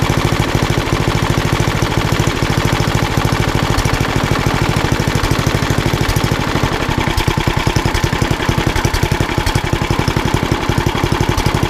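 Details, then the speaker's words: Old rusty Tecumseh 10 hp HM100 single-cylinder engine at idle after a genuine Tecumseh carburetor replaced a knock-off one (knock-off carb or its corrosion blamed), muffler refitted: crisp regular firing, no stumbles or clatter; runs beautifully. "I'm really glad that it got you know it runs as well as it does runs beautifully"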